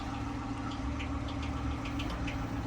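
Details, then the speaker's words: Ford Crown Victoria ex-Indianapolis police car at auction, hood open at idle: light, uneven ticking about three or four times a second over a low idle rumble; bad cam suspected by ear, not confirmed. "Can you hear it? That is a bad cam."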